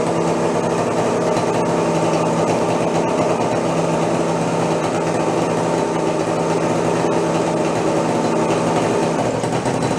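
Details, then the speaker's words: Homemade steampunk moped with engine (owner thinks about 2 horsepower), first run after sitting in storage: steady high-pitched buzz, even and unbroken with no dragging or laboring; running well. "now that's more like it"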